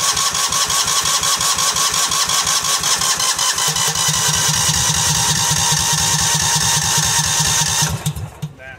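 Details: $50 Cub Cadet 2130 lawn tractor, long unused, tank full of water, in snow: cranking pulses about 170 a minute that never fire, then stop; carburettor float stuck, no fuel reaching the bowl, project abandoned.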